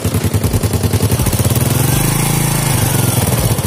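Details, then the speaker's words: Fit-X New motorcycle after repair of a rough-running engine: the engine fires with an even, steady beat, smooth through the revs with no rattle, and power is back to normal; a slight tick remains, blamed on a slightly worn camshaft. "So, oke, dan untuk suara ini sudah tidak kasar ya, dan tenaganya juga sudah lumayan enak karena proses ketukan apa itu ya, in dan outnya itu sudah enak lagi, sudah kembali normal."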